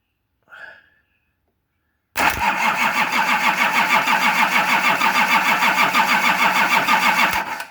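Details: Nissan LD28 diesel in a 40 series Land Cruiser, not run for years, repaired starter, bleeding fuel at cracked injectors: steady cranking at about three turns a second for five seconds with no firing; no-start.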